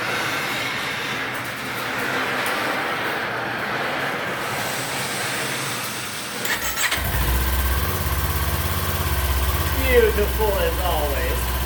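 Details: 2019 Kawasaki Z400 after air filter removal and check: quiet garage, engine fires after about seven seconds and holds a steady, even idle with no misfires or rattles.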